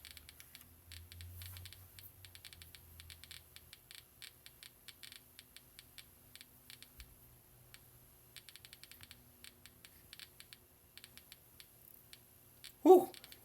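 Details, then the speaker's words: Home-built Geiger counter with yellowcake, the strongest sample, placed near it: sharp, faint clicks at random spacing, roughly eighty a minute, in a quiet room; counter detecting the sample normally. "The yellow cake is the strongest by far. So let's put that near it."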